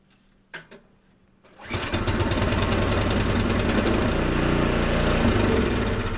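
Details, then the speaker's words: Husqvarna ST 124 24-inch snowblower, 212cc engine, factory set very lean: catches and settles into a quick rough beat, still surging and popping; clogged carburetor jet. "well, as you can see, she is running. You can still hear the popping noise."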